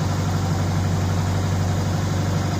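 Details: 2004 Subaru Impreza engine, first run in months after reassembly with a JB Weld-repaired stud, smoky from cleaners burning off: steady, smooth, unchanging low idle with no knocking or tapping. No banging; it didn't destruct itself.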